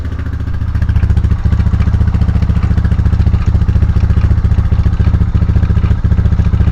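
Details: 1999 Honda FourTrax TRX300FW 4x4 running in gear: steady rapid clatter, about three or four knocks a second, from the rear drive; quad only drives the front wheels, rear end to be disassembled to find rear drivetrain noise.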